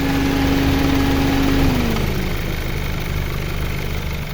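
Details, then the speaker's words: 2010 Honda Civic, VTEC fuel-injected automatic, idling; steady, even low idle, no stumbles or puffing, faint tone easing down early; no smoke, engine very good; normal idle. "นี่ครับเครื่องยนต์เดินเรียบๆนะครับไม่มีสะดุดนะครับลองฟังเสียงเครื่องได้ครับ"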